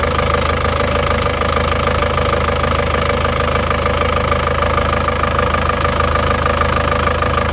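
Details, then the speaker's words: Isuzu Panther diesel just rebuilt after burning oil from running out of radiator water (two liners, two pistons, rings replaced), just started, still cold: steady even idle clatter, no odd knocks; engine sounds excellent, normal idle. "ya suara mesinnya istimewa"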